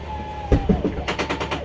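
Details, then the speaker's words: Sunseeker RV front slide-out retracting: motor hum stops, then quick sharp clicks about five per second as slide bottoms out; normal clutch slip signalling fully retracted. "once you hear that clicking noise that's the clutch saying that it's all the way in so here's your walking space while the slide-out's in"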